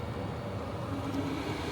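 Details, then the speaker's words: Hcalory Toolbox Heater 2 diesel heater at level 10, drawing ~35 W, recorded right next to it; smooth steady fan and burner rush, fuel pump ticking barely audible; normal running. "but I can't hear much ticking it's pretty minimal and I'm right next to it"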